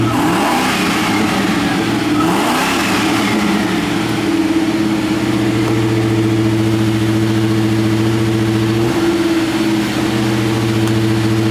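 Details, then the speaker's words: 1990 Land Rover Range Rover County, 3.9L V8, after a drive: a couple of throttle blips then smooth, even idle with a steady low hum; sounds healthy, runs great. "go there we go just was waiting for it to idle down there nice sound runs great"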